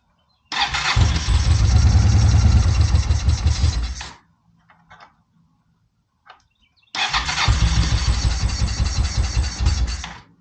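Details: Honda PC800 Pacific Coast motorcycle, probably not started since about 2007–2008, air cleaner off, on starter fluid and a partly charged battery: catches, runs ragged about three seconds, dies, fires again briefly; carbs need cleaning.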